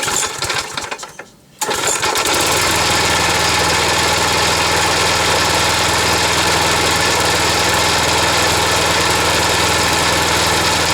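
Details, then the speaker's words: Wolf GTAB4M walk-behind mower, restarted, running at held throttle: steady rattling clatter about four per second over the engine; the noise is not coming from the engine itself. "que ça fait du bruit c'est pas au niveau du moteur"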